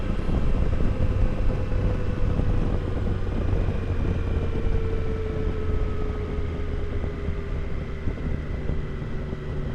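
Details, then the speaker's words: 2022 Triumph Tiger Sport 660 just after its 600-mile service, riding; loud whirring whine from about 37–38 mph, with footpeg vibration, dropping in pitch as the bike slows, heard over road rumble. Drive chain adjusted too tight. "The way I would describe it is, it sounds like the bike normally sounds, but just way louder. So it's like a loud whirring sound, like you could actually hear the gears turning."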